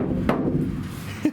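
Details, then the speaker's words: Iveco Daily ex-fridge van camper conversion: the bare roof panel is tapped before butyl sound deadening. Sharp taps leave a hollow, gong-like ring lingering after each hit; the undamped panel resonates. Some roof panels have come loose and need rebonding. "like a gong. It is, isn't it? It goes forever, doesn't it?"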